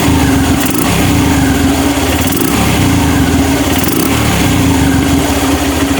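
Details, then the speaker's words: Honda Mega Pro Mono single-cylinder after sealing an intake manifold air leak that had made revs hang and drop slowly: it holds a steady, even idle and the revs now drop back cleanly without hanging. Normal rev return to idle. "turunnya sudah enak ya Mas Bro ya jadi memang benar ada kebocoran angin"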